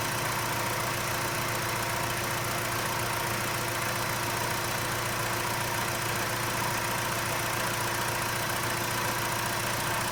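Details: 2011 BMW 320i idling with a steady tone over a loose, irregular tapping near two per second, suddenly appeared with dark exhaust smoke; no oil or coolant loss, valve seals and all gaskets replaced five months earlier; abnormal engine noise, cause unknown.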